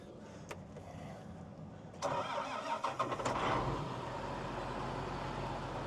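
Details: John Deere 8530 tractor after fuel filters were changed (primary likely plugged with dirt), fuel primed by electric pump: diesel catches after a short crank and settles into steady, even idle with no misses; runs healthy.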